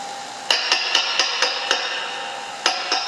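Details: Fender Blues Junior III, tapping with a 5751 in the first 12AX7 preamp position: each sharp tap sets off a bright, lingering metallic ring, about seven taps in three seconds; microphonic front-end tube causing high-frequency "tinnitus" ringing.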